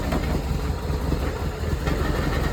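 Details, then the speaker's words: Cold car, started after sitting about a month with a new battery, idling: rough, shaky idle with a loose buzzing rattle over the engine note. The bumper and front panel are vibrating against the body. "That means it's the panel's rattling, as you can hear it stopped. Yeah, and there she is. It's actually the bumper that's rattling."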